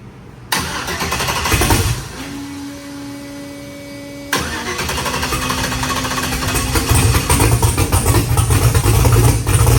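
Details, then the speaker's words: Engine first start after valve-train noise repair, oil added: cranks, fires, stumbles briefly, then restarts and settles into a strong, steady idle with no knocking; valve-train noise apparently fixed, runs normally. "Sounds good. Sounds like it actually works."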